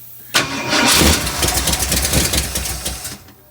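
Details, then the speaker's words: 1958 Ford F100 restoration: engine sputters briefly on brake cleaner already in it, then dies; fuel line barely pumped any fuel, indicating fuel starvation. Line unhooked to check pump output. "it well it liked the little bit of brake clean that was already in there but note our fuel line it didn't really pump up much fuel"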